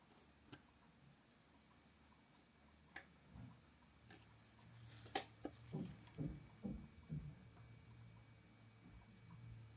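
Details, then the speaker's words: Over-100-year-old Elgin grade 387, 17-jewel 16s pocket watch movement during service: faint quick escapement ticking under handling clicks, with mainspring power accidentally not let down. "But this is part of a mechanism of the watch known as the escapement. What's amazing is when you hear this, how loud these watches are."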